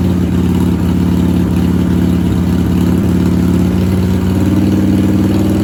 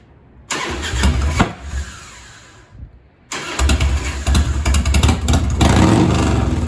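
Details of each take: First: 1997 Harley-Davidson Heritage Softail Classic, 80-inch Evo V-twin, just fitted with new S&S Super E carburetor, new battery and ignition: steady, fast idle with an even low beat that never drops. Idle screw about half a turn too high; needs adjusting. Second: 1997 Harley-Davidson Heritage Softail Classic, 80-inch Evo V-twin, with a newly installed S&S Super E carburetor and the idle screw turned down about half a turn from too high: catches and dies, then restarts into a loping, uneven idle.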